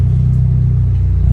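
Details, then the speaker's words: Freshly built Honda Civic VTi D16Z6 (Crower 63443Z stage 3 cam, ported Skunk2 Pro intake) during its initial street tune. It holds a low, even idle around 950 rpm with the AC compressor on, down from 1000 rpm without it, with no stumble: a normal idle under AC load. "oh yeah 950 RPM it still handles it good it picks up well"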